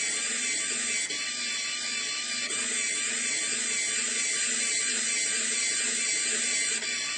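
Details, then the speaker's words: Brushless DC motor (FIT0441 with encoder) at 12 V driving a homemade worm-drive gearbox for a rudder servo, sitting on a table that amplifies it: high, busy gear whir with a faint uneven ratchet about twice a second; gearbox suspected to be under strain, not confirmed. "way think it's as straight as but my view is that the gearbox is sounding as if it's under strain um let me just lift it off the table the table is amplifying that sound"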